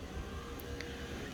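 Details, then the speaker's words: Mini Cooper (R50/R53) power window: steady low motor hum with light clicks inside the door as the window moves, working again after striking the door between the speakers while pressing the switch to free the relay. "so that works now I'm not proud of that solution but it worked"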